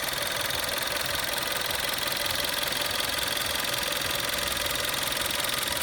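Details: Golf VI Style 1.4 TSI 90 kW/122 PS, built 12/2011, after water pump replacement: smooth, even idle with fine quick valve-train tick, no bearing growl or grinding; earlier noise was from a worn water pump bearing, now gone.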